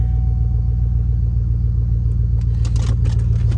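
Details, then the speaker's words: GM Vortec 5.3 V8 with 266,000 on the clock, idling after a 5-minute diesel/kerosene oil flush and oil change for lifter tick: low steady even idle, 0 misfires, no ticking, maybe slight tick on one side. Normal idle after fix. "And as you can tell, I don't hear any lifters ticking. Maybe a little bit on this side."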